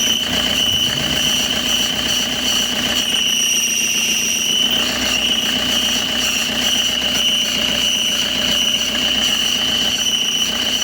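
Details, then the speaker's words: Car engine idling with harsh steady high-pitched whirring squeal in engine area, first suspected alternator one-way clutch pulley; noise changes when the clutch pedal is worked, pointing to a worn clutch release bearing. "ternyata ketika pedal kopling dimainkan, kontinuitas apapupun ee dari suaranya itu berubah-ubah ya."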